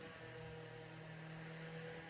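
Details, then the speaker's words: Vintage 10-inch Eskimo oscillating fan, probably 1940s, after cord replacement and oscillation fix with super glue and grease: soft, steady low hum, even whir, no rattle or scrape; runs and oscillates like new. "But other than that, this fan is all original. And it still oscillates great. It still works like it was brand new."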